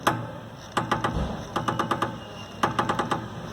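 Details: Chevrolet Astra front suspension: sharp hollow knocks in quick bursts as the front end moves, located at the top of the front strut mount; suspension later repaired.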